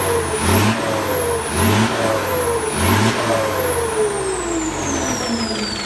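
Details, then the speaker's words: Diesel just fitted with a new turbo (same brand) after the old one's impeller broke, exhaust reinstalled: three quick revs, each with a clean whistle climbing with throttle and fading smoothly on release; healthy turbo, sweeter than before. "โอเคลุยงานได้ครับมาดฐานจริงๆครับเสียงหวานกว่าเดิมอีก"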